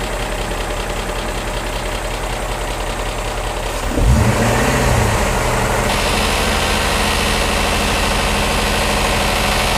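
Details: BMW E39 M5 V8 at idle: light quick ticking about three to four a second from bank 1, only at idle; bank 1 VANOS test makes the noise during inlet advance and quits after exhaust retard, bank 2 passes. Cause not confirmed.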